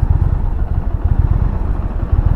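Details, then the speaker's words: 2020 Indian Challenger Dark Horse on a test ride: a deep, lumpy V-twin rumble with uneven pulses and a loose clatter; right after setting off it felt like it would die, cause unknown. "That's interesting because right when I first started riding, it kind of felt like it was gonna die."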